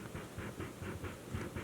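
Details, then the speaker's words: Altec 604-8G studio monitor woofer, heavily driven: rhythmic dry scraping bursts about five a second as the cone is pushed; voice coil rubbing against the magnet; the other unit is silent. "sounds kind of like something rubbing that is the coil rubbing against the magnet inside"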